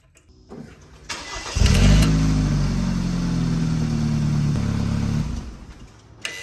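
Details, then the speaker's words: BMW 328i exhaust after repair: engine cranks, catches and settles into a smooth idle with no exhaust rattle; the rattle came from a fixing bolt, which commonly drops off while driving, now refitted. "I don't hear any rattling noise. Okay. So, that fix our problem in the rattling noise in the exhaust."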